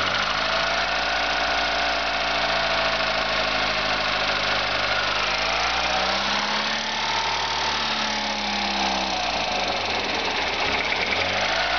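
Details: VW Golf 4 1.4 engine with a noise problem: steady idle rising and falling with revs, with a whirring, rough overtone following engine speed; abnormal noise, source unclear.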